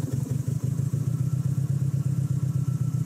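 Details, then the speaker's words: 2007 Subaru Impreza WRX STI, push-button start, running at idle: the engine has a misfire. Lumpy, uneven low thumping with dropouts in rhythm because it doesn't like to idle; engine misfire. "sounds a bit weird when you start it up because of the misfire it doesn't like to idle very well"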